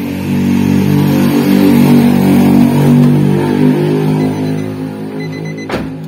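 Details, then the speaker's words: Nissan March idling with a lumpy, shaking beat pulsing about four times a second; owner complains of stumbling and low power; cylinder misfire traced to a leaking ignition coil boot (protector) tracking spark. "untuk posisi mesinnya Sinjai atau pincang kelihatan untuk stasionernya bergetar seperti ini untuk indikasi penyakit seperti ini akan dari bagian foil atau busi yang bermasalah"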